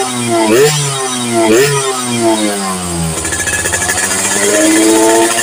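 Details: Yamaha FIZ R two-stroke with popping/backfire on throttle, after swapping in a replacement coil (pulser and small tank also suspected): blips up and down cleanly, then holds a crisp, even buzz at raised revs, no popping or misfire.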